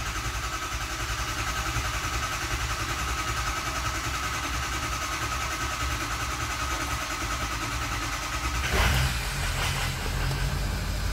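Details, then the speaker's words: 2005 Ford Super Duty 6.0L Powerstroke diesel, 287,000 miles, after O-ring repair cured the no-start: even diesel rumble at idle, steady beat with a brief bump near the end, settling smooth; healthy idle. "that's what we like to hear purring all beautiful so there you have it the Ford 60 diesel no start due to an O-ring"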